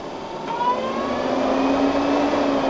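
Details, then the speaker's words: Newly installed Heng's Vortex II RV vent fan spinning up on high, pulling air out through the trailer: a rising tone settling into an even whoosh. It is quieter than expected, though it seems slightly off balance when slowing down. Normal vent fan operation. "Well, I have to say that's actually pretty dang quiet. I was expecting to be a lot louder than that."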